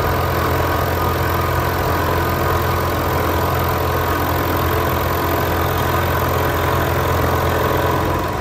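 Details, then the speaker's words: Knee mill with right-hand cutter, conventional cut from back to front, taking a pass set at 30 thousandths (about the maximum allowed, actually removing 27) while milling a tapping block to length: steady, even drone with a slightly heavier tone under load and no chatter; normal heavy cut. "30 is about the maximum depth of cut I allow on the knee mill. You can hear a little bit of heavier cut."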